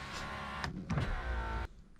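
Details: Honda Accord rear power window, previously dead because fuses were missing, after fuses installed and glass fitted: smooth motor hum about 1.5 seconds ending in clean stop; window operates normally without binding.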